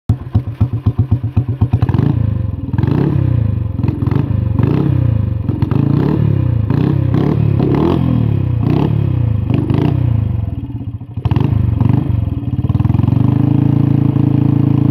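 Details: 1973 Harley-Davidson SS350 Sprint single cylinder, first start after about 20 years sitting: catches and pops, revs blipped several times, then settles to steadier run; running fine.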